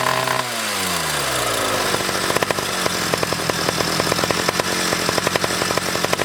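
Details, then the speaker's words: Bike engine revved after an adjustment made with a screwdriver: revs up and holds high with ragged, uneven popping, a sputter remaining at the top end. "I got it somewhat good but you guys could probably still hear the sputtering up on the top end"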